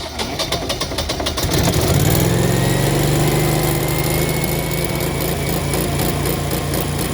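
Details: Home Generac generator after yearly oil change and air filter check, started via auto/manual for about 20 seconds to circulate oil: cranking chatter, then a steady humming run with constant note; running normally.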